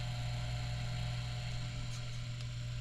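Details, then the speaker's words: Outdoor wood boiler over 10 years old, back panel off: its circulation pump runs with a steady, even low hum and no knocks, rattles or wavering; normal. "okay this is your pump right here it's running right now I know if you hear it or not"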